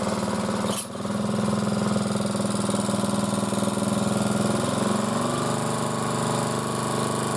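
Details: Motor-cultivator that knocked and stalled in autumn after hard use and started poorly, running after valves checked (intake upper 0.20, exhaust lower 0.15 clearance); gearbox turning; one sharp click, then even single-cylinder putter about 3.5 firings a second, no knocking; normal running.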